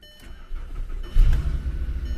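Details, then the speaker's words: Insurance-auction car with 222,000 miles, started at the lot: brief crank, catches cleanly into a steady low idle, no knocks or stumbles; normal start. "Actually sounds good. 222,000 miles on it. Yeah, it sounds good."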